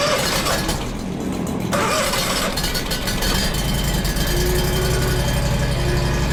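Mower engine runs steady at idle with a loose, uneven rattle riding over the firing; the odd noise's source can't be pinned down.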